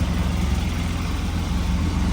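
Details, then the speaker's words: Polaris RZR 800 with rebuilt engine after sitting years, before coolant bleeding and a heat cycle: even, steady low idle with a smooth regular beat, no knocks or misses. Normal idle, running good. "should be able to take it out for a rip uh this thing it's running good"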